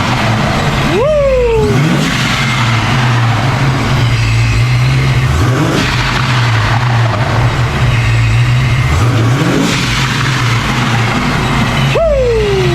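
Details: 1990 Ford Mustang Foxbody convertible V8 with newly installed ProCharger supercharger, first startup: deep idle with sharp throttle blips, each bringing a rising then falling blower whine; runs evenly.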